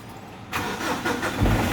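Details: Mitsubishi Strada diesel after clearing codes U1073, P0102, P0113, check engine light gone: brief crank, then it fires and settles into a steady idle clatter with no stumbling; clean, normal start.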